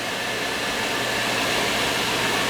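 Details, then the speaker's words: Field powervent fan above a furnace, earlier noisy when running: after loose screws were tightened, it gives steady, even airflow with a faint low hum and no rattle or buzz; it runs quietly and fine. "look at how quiet that made it hear that screw you got a couple of screws loose"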